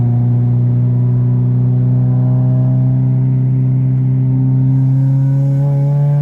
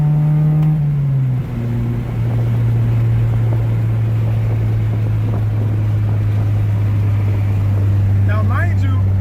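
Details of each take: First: 1993–1997 Honda Del Sol with a newly fitted aftermarket muffler, driving with windows down at barely 3,000 rpm: deep booming exhaust drone swelling with revs, far louder than stock, before the exhaust was fixed; muffler excessively loud. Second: 1993–1997 Honda Del Sol after the exhaust fix, accelerating hard in first gear with windows down: deep, smooth, mellow muffled drone with slight boom but far quieter than before; quiet exhaust.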